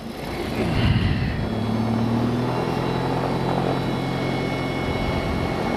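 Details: Mooney M20J with Lycoming fuel-injected engine, hot restart about 30 seconds after shutdown at around 750-760 rpm, fuel percolating in flow divider: catches within a second, surges briefly, settles into smooth even idle, clean hot start.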